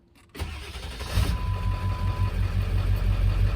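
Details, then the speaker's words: 1999 Ford F250 7.3L Powerstroke diesel just restarted after a suspected run-out of fuel. It settles into a steady, even low diesel idle with no knocks or stumbles: normal diesel idle. "Oh yeah. Yeah, she's running good. Oh, thank you, thank you, thank you."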